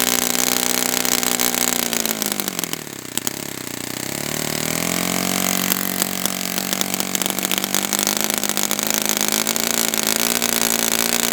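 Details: Brand-new customer Saito FA-100T twin glow engine on test stand, break-in run: fires up, dips briefly, settles into steady, even high-pitched smooth run; rich with oil dripping from exhaust, not lean. Normal running during break-in.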